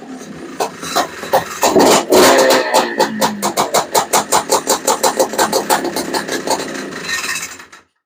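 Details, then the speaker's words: FL350 with Lectron Billetron 38mm long-body carburetor, no choke: quick even pulses near three per second as it turns over but never catches; metering rod turned the wrong way, super lean with no fuel. "I was turning the metering rod in the wrong direction we were actually in a super lean condition it didn't have any fuel"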